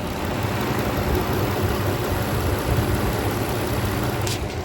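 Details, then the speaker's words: Infiniti G35 idling on the street: steady, even low rumble with no knocks, ticks or misses; a smooth, healthy normal idle. "That's a healthy motor, bro. That right there is a healthy motor."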